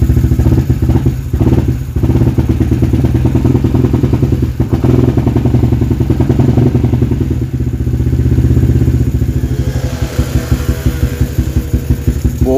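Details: Yamaha LC135 V8 FI single-cylinder motorcycle with an up-spec 62 build, restarted after a loose adapter cover was tightened: a firm, even low thump with only light clatter; steady, healthy running.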